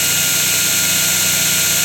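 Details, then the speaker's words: 2x72 belt grinder with 6-inch wheel running fast and grinding: high, even rushing belt hiss over steady low motor hum, no slapping or grinding; runs smooth, normal. "so this one has a 6in wheel on it it's going pretty fast framing here got my thing grinds it's nice runs smooth so yeah"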